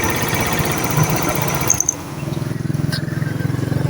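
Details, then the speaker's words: Motorcycle electric-started with its newly fitted starter motor (it previously would not electric-start after stopping), some covers still off: brief starter whirr, engine catches cleanly and settles into an even, soft, steady idle; normal start. "เปิดสวิตกุญแจสตาร์ทนี่เสียงนิ่มมากนะครับเสียงนิ่มมากเลยนะครับ"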